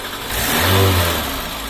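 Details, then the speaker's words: VAZ 2110 after fixing strong body vibration and knocking linked to an incompatible Priora stabilizer and a remounted alternator: a quick throttle blip that rises and settles smoothly, with no knock, rattle or rubbing through the body. Normal revving. "Вибрация полностью исчезла. Кажется, здесь больше никто не стучится в дверь. Да , никаких стуков, никакого трения."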